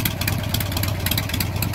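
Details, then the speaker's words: Warm, freshly carb-tuned Harley Sportster 1275 Hammer Performance kit with Andrews N2 cams, collapsible pushrod tubes, S&S Super E carburetor, Dynatek 2000i ignition: loud, steady loping idle, even beat, no knocks or rattles; normal idle. "go ahead and turn it on for you so you can see what it sounds like i just just got warmed up and tuned the carburetor so it's nice and running well there she is"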